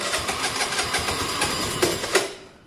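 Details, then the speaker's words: Vespa 50cc scooter fitted with a 125cc engine: uneven, sputtering beat about six pulses a second that stumbles then dies away; runs roughly, cause unclear. "and sounds like crap cool made it it's just everywhere you look on the bike there's problems"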